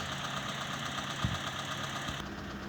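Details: Mitsubishi E-Car 1.5 4G15, automatic, idling after vacuum conversion fix for rpm dropping with A/C on, in gear or steering: even, quiet idle with a steady low hum and no stumble or dips; settled and running smoothly.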